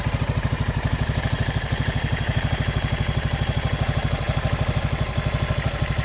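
Steady single-cylinder thump about three beats a second, even and unbroken at idle; engine running healthy.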